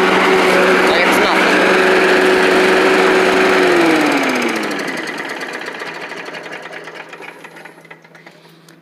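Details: Old Rover Turbothrust mower, made in Brisbane, Australia, holds a steady hum, then is shut off and the whir fades over several seconds; engine runs fine, though the brake shoe may need replacing since it isn't stopping the blade well.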